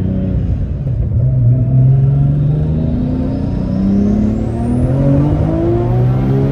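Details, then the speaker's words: Cabin recording at road speed in an R34 Nissan Skyline GT-R: low, steady drone from the tires with some engine pull over it; ordinary tire hum, nothing wrong. "Arkadaşlar şimdi lastikler olunca Oo diye uğultu ses geliyor tamam Normal yani"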